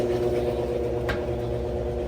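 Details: GE GTW335ASN0WW top-load washer after agitator removal and gearcase spline check, final spin with no out-of-balance flashing: steady even hum, light high whir, no thumping or banging; healthy final spin.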